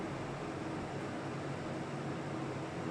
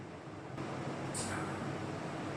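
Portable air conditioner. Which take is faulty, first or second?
first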